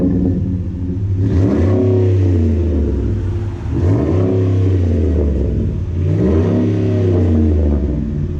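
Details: 2010 Ford F-150 with newly installed Rough Country dual cat-back exhaust, revved after idle: deep even burble swelling smoothly through three throttle blips and dropping back cleanly; no leaks or rattles, sounds good.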